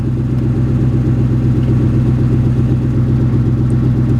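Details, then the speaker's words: 1995 Lincoln Town Car, 153,000 miles, at idle with one side muffler and the other only a resonator: uneven puffing beat of two to three per second with a raw exhaust chuff; exhaust leak and misfire, plugs and wires suspected. "So, you can hear right off the bat that exhaust leak and then the misfire. So, plugs and wires for sure."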